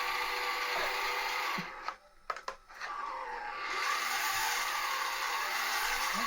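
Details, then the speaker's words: Bachmann Voyager model train bought as spares, initial test: thin, buzzy whir running unevenly with a brief dropout; motor running rough, cause unknown, owner wonders if it's running on a DCC track with a DC loco. "what what is going on join us in a minute while we uh try and ascertain while why this is doing this so have a little problem"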